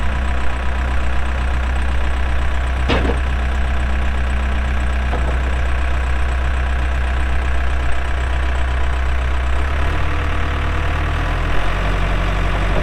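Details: 2007 Case 580M Series 2 backhoe, 4WD, Extendahoe, pre-emissions diesel, 3,812 hours: steady low diesel drone with clean pitch rise near end as revs come up under hydraulic work; hydraulics strong, normal running under load.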